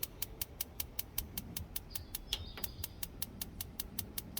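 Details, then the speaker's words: Nexgrill 5-burner propane BBQ after its spark igniter was replaced with a new battery fitted: sharp, evenly spaced ticks at about two or three a second, crisp and steady; igniter firing normally and burners light. "All right, so let's try it out here. We're going to do this burner first. You can hear it clicking."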